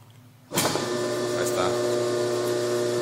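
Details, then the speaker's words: Induction motor after repairing sticking starting switch contacts (which made the capacitor spark and the motor jump at start): switches on and spins straight up to a steady even hum with no jerk; normal start after repair. "ya no realiza ese brincoteo que hacía ese brincoteo era porque el platino se quedaba se quedaba pegado"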